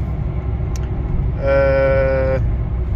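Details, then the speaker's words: Skoda Yeti 2.0 TDI diesel, 2012, about 150,000 km, driving after wheel bearing replacement; the right-side noise and vibration was previously heard from 60 km/h. Now steady tyre and road rumble, no hum or growl building with speed; bearing quiet. "ten hałas to jest wszystko okej Ja postaram się troszkę szybciej jechać Zobaczymy co to będzie ale tak jak mówię to już hałas Był słyszalny o 60 na godzinę"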